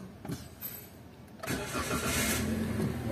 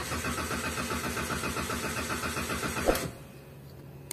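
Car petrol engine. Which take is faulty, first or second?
second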